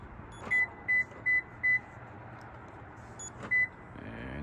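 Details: 2013 Toyota Sienna with Start-X (EVO-ALL) remote start and RFK942 RF kit, day two after firmware update: four quick high beeps, a fifth after a pause, then the engine cranks and catches. Normal remote start.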